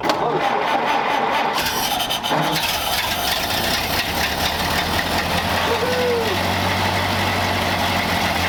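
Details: 1931 Ford Model A four-cylinder, fuel tank sludged from storage: steady even idle with no misses or knocks after the air-bound fuel line from the bowl to the carburettor was bled; running normally.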